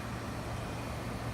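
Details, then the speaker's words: 5500 BTU window air conditioner compressor started on a Samlex 600 W pure sine wave inverter (1000 W surge); low steady hum without stalling, battery voltage dipping from 12 to 11.9 V under load. "Okay, compressor came on, I could hear it. It started up no problem."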